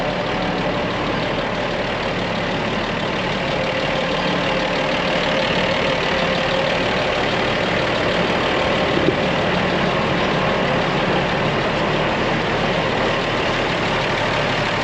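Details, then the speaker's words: Farm Cummins diesel engine taken from a Versatile tractor, idling: steady even smooth unchanging rumble, no knocks or misses, a little smoky, owner thinks it needs the rack run on it; normal idle. "Hear that old Versatile engine purring in there? It's actually a Cummins, but it came out of a Versatile. It is a little bit smoky."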